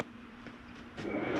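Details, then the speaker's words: Jayco Eagle 24RE RV furnace with thermostat raised above 65: quiet, then soft steady rushing roar as burner and blower come up; normal furnace operation. "There's your furnace. Now shut your furnace off."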